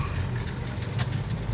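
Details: Toyota Avanza 1.3 2009 after engine flush, formerly heavy pulling, hard starting and unstable rpm, accelerating in third gear: steady low drone pulling evenly under load, no stumble or shudder, brief whoosh midway; smooth acceleration.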